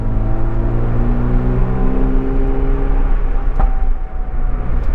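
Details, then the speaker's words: Mazda RX7 FB rotary driving on road, catless with mid-pipe and pre-silencer replaced by freer exhaust, power steering deleted, good oil pressure: steady low drone then one sharp crack at 3.6 seconds; exhaust backfire from removed catalytic converters. "we've got some backfires on the exhaust because this is a catless uh fb um these have three cats and you know are old 80s cats"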